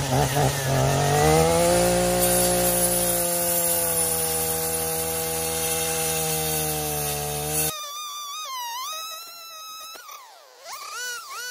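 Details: Echo PAS-2620 multi-tool with attachment cutting: engine note sags and labours at a lower drone as the blade gets pinched and catches; bogging under cutting load, with a dull blade suspected.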